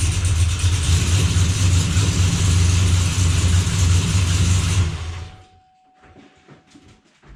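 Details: Chevy Blazer after transmission repair, fluid-circulation run; engine runs smooth and even about five seconds then shuts off cleanly, no drivetrain clunks or whine, no drips or leaks: normal running.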